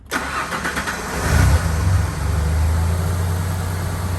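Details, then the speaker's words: 1992 Ford F250 after fixing a tricky intermittent misfire caused partly by a defective aftermarket part; cranks, catches and settles into a smooth steady idle, previously barely ran; stalling complaint still to chase; normal idle. "But see how much smoother that is? Super smooth, man. I could barely get this thing to run to put in the shop."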